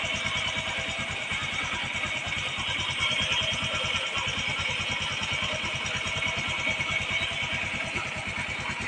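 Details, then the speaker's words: Honda Wave 125i after clutch set rebuild and new bearing, fixing complaint of slipping clutch, noisy timing chain and clunk from side cover when shifting into gear: engine runs evenly with no rattle, clutch and chain now quiet, no slipping on test ride. "ดับเครื่องครับสรุปงานครั้งนี้นะครับเสร็จแล้วนะครับล้างเสร็จแล้วครับพรุ่งนี้เช้าก็โทรให้เจ้าของมารับรถได้ครับสู้ๆเงียบครับแล้วก็ชุดคลัทช์เงียบครับแล้วก็คลัทช์ไม่ลื่นลองขี่แล้วไม่ลื่นครับ"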